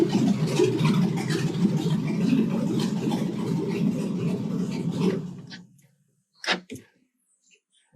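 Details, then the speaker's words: 2006 Chevy Silverado V8 first start after 4L60E transmission rebuild, no coolant, stock exhaust disconnected at Y-pipe: loud, even, deep rumble for five seconds then shut off; runs cleanly. "yeah buddy she makes noise"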